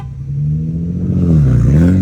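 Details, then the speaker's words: 2007 Infiniti G35 Coupe, 6-speed manual, replacement engine with about 40–60K miles, ECU flashed, under hard acceleration in a race: pitch climbs smoothly and strongly, no stumble or hesitation; runs like new. "So yeah, the car runs great now. It's amazing. It's like it was brand new."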